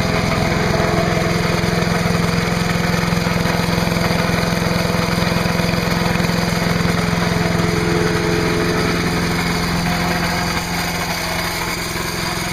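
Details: Trash-picked MTD chipper/shredder, 5 hp Briggs & Stratton, after new spark plug, new air cleaner, oil change and clean gas: steady even idle, regular beat, no misses or knocks; running healthy.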